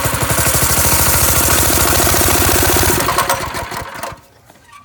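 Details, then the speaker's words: Go-kart engine: chuffing at about 200 beats a minute stumbles and dies off as throttle is given; the pilot jet was clogged again after riding, starving the idle circuit. "Okay, so apparently whatever riding around we did clogged up the pilot jet again. Good times."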